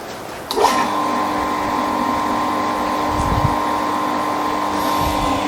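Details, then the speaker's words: Shimizu water pump being primed: motor starts with steady hum and constant whine, sound changes midway as low churning rises when water reaches the pump and stays up; normal priming, drawing water. "Nanti bunyinya akan sedikit berubah. Nah, air sudah masuk ke sini ya."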